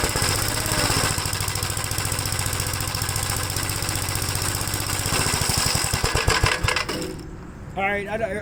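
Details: 1957 Gravely tractor after starter service fixed its slow cranking: single-cylinder engine thumping at a steady, even beat, then shutting down and coasting to a stop; runs cleanly.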